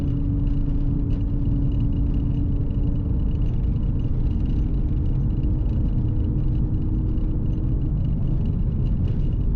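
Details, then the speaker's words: VT with nearly 300,000 km, 3.46 rear diff before swap to 3.08, cruising about 80–100 km/h at roughly 2,000–2,400 rpm: constant low drone at one even pitch over road rumble, seemingly loudest around 80 km/h; noisy rear differential hum. "as you can hear that diff is quite noisy hopefully you can hear it anyway slow down to 80k and air i think is this noisiest sort of in this region so you can hear it sort of humming"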